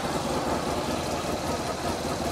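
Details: Honda VFR 1200 idling after the rear silencer was refitted. Steady, even idle with a smooth low rumble. The exhaust flap valve is fully closed and a lamp check shows no leak underneath, with no ticking, puffing or hiss. Healthy engine and silencer.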